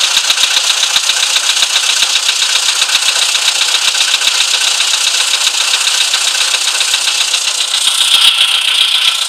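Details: VW Polo sedan, CFNA engine, cold idle: sharp, regular metallic ticking about two or three per second over the idle; engine knock when cold.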